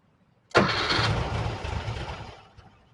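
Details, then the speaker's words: 1968 VW Type 3 original fuel injection, cold start problem with correct computer fitted: about two seconds of steady cranking that never catches then dies away; injection starved of fuel. "Yeah, it's like it doesn't know it's supposed to start."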